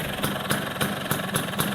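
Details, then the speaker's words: 1980s Vespa two-stroke with Excel engine, Dellorto carburetor and a right-exit racing exhaust making it louder: a loud, raspy, even idle pulsing about four times a second; normal two-stroke idle. "Oke, ini suaranya pastinya agak gede karena emang dia pakai knalpot racing ya, knalpot racing buang kanan."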